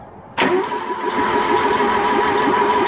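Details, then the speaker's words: Ford 2.0 Pinto SOHC engine in a Mk3 Capri, unrun for six months, plugs and rocker cover out; starter spins it with a steady whine and light ticking, no firing, slowing slightly at full oil pressure; oil system priming, normal. "so we've got oil pressure there you can sort of hear the engine turning over slows down a bit when you get full oil pressure"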